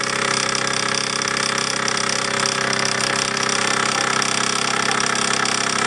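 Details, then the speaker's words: All-original Bowman M175 toy steam engine with countershaft, run in live steam on its own burner, with a slight safety valve leak: quick, even chuffing at about 220 beats a minute over a steady steam hiss; normal running. "Running very well. I've got a little leak at the safety valve, but I'm not worried too much about that for this steaming. But there you go, you can hear her working away there. Lovely little runner."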